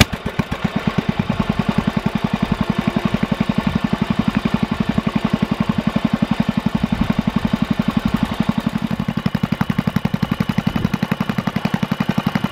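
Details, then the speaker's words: Rebuilt Kohler K181 8 hp single-cylinder engine for a Panzer T758ES tractor, bench-run after new ignition wiring and points: even, steady beat at about 170 firings a minute; slight startup smoke burnt off; no knocks; healthy idle. "so everything ran well there was a little bit of smoke upon startup but that all burnt off of there and there's no knocks or noise or anything like that out of it so it's a good solid cooler eight horse"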